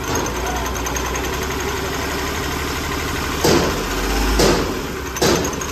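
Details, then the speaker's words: Hyundai Grand i10 diesel with hunting and knocking, no fault codes or lamp, at idle: lumpy, uneven idle with irregular surges and thumps about once a second as firing drops out; suspected faulty injector misfiring. "Idol ने पता है कभी firing रुक जा रही है कभी firing दे रही है इसी वजह से ककड़ कड़कड़ रहा है"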